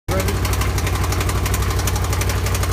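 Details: Can-Am Spyder at a steady idle with loud, fast, evenly spaced knocking, a deep rhythmic clatter that never lets up; source unknown.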